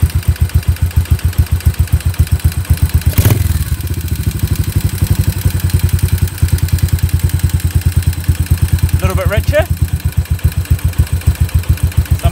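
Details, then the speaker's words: Warmed-up Yamaha SR250 single, Jadus air/fuel screw set about 3.5 turns out and idle speed readjusted; pilot jet roughly correct. Even, steady thump holding speed without hunting or stumbling; normal idle. "that's pretty good so just a quick recap I've set this if you'll screw now so that either way that I screw it I can adjust the idle of the engine which means that my pilot jet is roughly the correct size"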